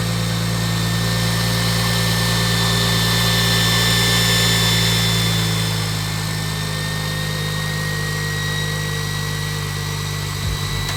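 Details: BMW 135i N54 just after first start on a newly fitted Doc Race single turbo kit (6266 turbo): even, settled idle with a steady low throb and a faint high whistle that eases off near the end; runs cleanly.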